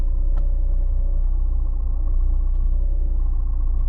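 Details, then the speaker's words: VAZ 2110 manual gearbox running: steady low drone with a faint hum, present in neutral with the clutch released and vanishing with the clutch pressed; it persists after every bearing, seal, differential gear and release bearing was replaced. "отпускаю пытаясь включить первую без сцепления звук пропадает гул третья такая же пятую пытаюсь включить Она как на взлёт начинает"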